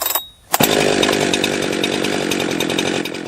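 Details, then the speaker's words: Refurbished Jonsered 2071 chainsaw with exhaust mod and new plug, warmed up, cutting in wood: it revs high with a rough, buzzy, rattly note; it seemed too rich on the low end; exhaust tight and not too hot; cause uncertain. "I had kind of a strange noise going on there oh um I mean this thing did have some did have some issues going on with it seemed like it was too rich on the on the low end for one we got going on it seemed like it was kind of rattly or something"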